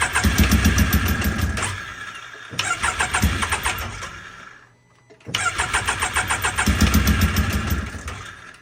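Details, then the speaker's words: Can-Am X3 just fitted with a new FP Green turbo and a swapped MAP sensor: repeated fast starter cranking that never fires. The spark plugs came out extremely black, and fouled plugs are suspected. "I pulled the plugs out of this thing and they are extremely black, so I'm pretty sure just knocked the plugs out of it."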